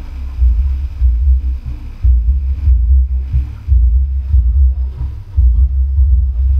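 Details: 2.1 amplifier after repair, STK4191 IC board fitted, 10-inch 4-ohm subwoofer that had hummed: deep, punchy bass plays cleanly with no hum or buzz between notes as volume is raised.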